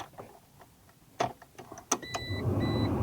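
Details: 1996 Geo Tracker heater/AC blower, which was not working; the ignition switch was cleaned with DeoxIT rather than replacing the switch or resistor. A few sharp switch clicks, then the fan spins up into a steady whooshing hum with a faint whine; blower now normal.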